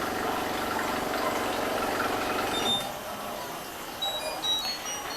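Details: Brastemp BWG11 washer with intermittent water inlet; the inlet valve coil was tested and ruled out: a rapid buzzing rattle runs steadily during the fill, then cuts off abruptly; the fault was later traced to the water inlet valve.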